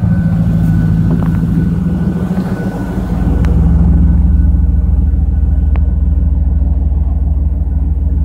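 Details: Steady, deep engine hum that never settles, with a slight dip and then a firmer, faster drone; high idle.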